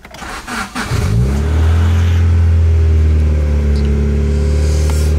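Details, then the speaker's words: 1995 Acura Integra cold start: it catches, then settles to a loud, fast high idle with a raw, blatting exhaust note. The exhaust manifold leak needs welding and the owner thinks it has worsened. "so a few months ago i found out that um there's a little leak in my exhaust manifold that has to be welded"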